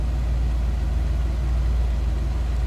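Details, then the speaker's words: 1963 Ford Galaxie 500 convertible, 289 V8 with Cruise-O-Matic automatic: deep, steady, even low rumble with no ticks or knocks and good throttle response; normal idle. "nice sounding 289 smooth running too nice throttle response"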